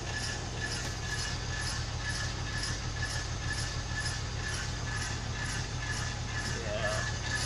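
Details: 1999 BMW 323i with automatic transmission (shifting problem, dirty fluid changed without fix): steady low hum from rear wheel spinning on lift with faint scrape about twice a second, rising with wheel speed; rear wheel grinding, possibly dragging brake.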